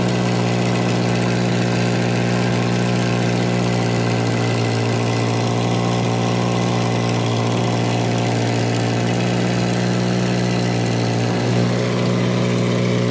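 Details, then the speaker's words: Volvo 240 warming up after a cold start: steady drone held at a raised pitch that never settles toward normal idle; consistently high idle, with a blown top cam seal leaking oil found nearby. "All right, so we've got consistently, chronically high idle, and we have a very blown out top cam seal, which the good news is it's the top seal."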